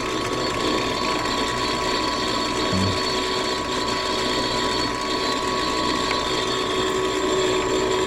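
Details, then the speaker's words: Furnace on a no-heat call, inducer motor running: constant hum with a rattly, ratcheting scrape, sounding like a diesel; damaged inducer wheel rubbing its housing, inducer replaced. "well boys I think we we all know what the sound of that is sounds like an inducer take the ABS on this sound like the actual wheel do damage"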